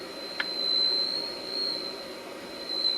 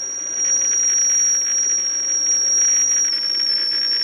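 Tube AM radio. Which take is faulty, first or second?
first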